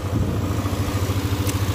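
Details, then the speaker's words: Yamaha Aerox 155, recent model year, starts and idles fine but bogs on initial throttle: steady single-cylinder idle with an even low pulse, no blip heard; hesitation later traced to a dirty ISC idle control valve. "Mau kita cek apa sih kerusakan di motor ini yang di saat gas awal itu nguok atau nggak bisa gas spontan."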